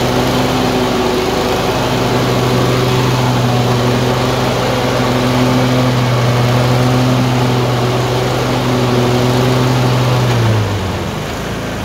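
Twin idles with a rough, uneven beat, the pitch rising and sagging over several seconds and dropping off near the end; surging with intermittent misfire.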